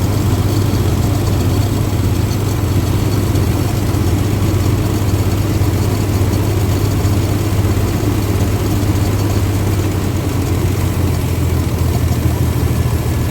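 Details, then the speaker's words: 1962 Dodge M37 truck, pulled from brush after 40 years, idling on a temporary fuel IV with throttle spring refitted, accelerator pump likely not working: deep, steady idle held evenly without hunting or skips; pretty quiet, idles smoothly. "Pretty quiet. Not bad at all. See if we can idle it down just a little bit more."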